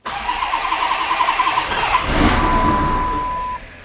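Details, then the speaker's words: 2015 Hemi twin-charged Magnum build, very first start attempt with injectors just plugged in and crank trigger wheel swapped: steady starter beat, catches briefly with a rough surge, then dies; starts then stalls, owner suspects it wants more fuel from the startup table. "what all right it's kind of acting like it wants more fuel here"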